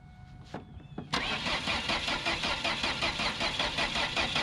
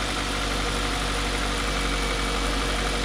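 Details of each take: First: Ford Focus, about 180k, bought cheap and not running: starter cranks steadily about 2.5 beats a second without catching; no spark, broken loose wire found going to the ignition coil. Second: Ford Focus with about 180k, bought cheap, first start with a pigtail held by hand: catches and settles into a steady idle with a slightly loose, rough note from a broken exhaust, but keeps running evenly.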